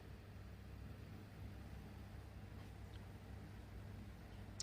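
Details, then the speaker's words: Samsung microwave that ran loud because of its cooling fan motor, after the motor was cleaned and oiled and greased: only a low, steady hum with no rattle. Quiet, normal running after repair. "เคกดสตาร์ทแล้วนะครับผมตอนนี่คือเงียบกริ๊บนะครับผมไม่ดันแล้วครับ"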